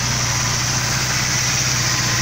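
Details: 1988 Mercedes 300SE nearing 400,000 miles, warm idle: smooth, even hum with no ticking or rattling, not smoking badly; engine sounds healthy.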